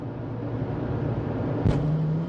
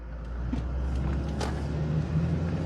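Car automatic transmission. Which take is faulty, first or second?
first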